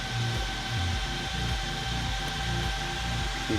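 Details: Traxxas Xmaxx RC car cooling fans running just after fan replacement with the motor installed: a thin, steady whine holds constant pitch under some background noise. The fans run normally.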